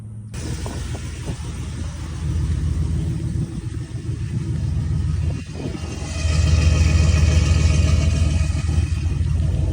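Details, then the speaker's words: 2004 Chevrolet Silverado V8 newly fitted with long tube headers: loud, raw rumble with a puffing, rattly edge from exhaust leaking at the header joints. "know you can hear all the exhaust leaks, especially [Music] right where it's rattling like a [ __ ]"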